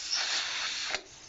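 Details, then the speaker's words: Pressure canner just after the weight was put on following about 10 minutes of venting: a steady high hiss for about a second, then a sharp cutoff, steam escaping past the loose lid clamps. "You'll see here's some steam coming out here. I don't know if the camera is picking it up. So you just now retighten all of these."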